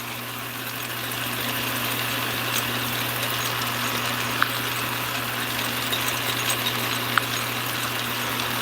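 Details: Atlas Craftsman 10" lathe at high speed in low range: steady, even hum with smooth high-speed whir, no knocks or grinding; quiet, healthy gear train with oil webbing visible.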